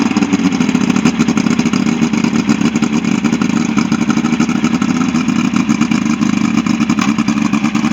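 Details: Ebbtide boat engine, final running test after a no-start, 6/6/23: steady, loud run at constant speed with mild mechanical clatter and no stumbling; running normally.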